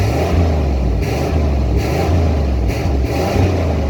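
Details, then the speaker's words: 1993 GMC Yukon started after sitting all winter on old stale fuel, with a new sending unit: deep engine rises and falls through several throttle blips, pulling up cleanly each time with no miss or knock; sounds healthy. "There we go. Sounds good. Runs amazing."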